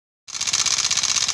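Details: Motorcycle engine: fast, even, light metallic rattle with little low engine sound; points to a slack, noisy timing chain.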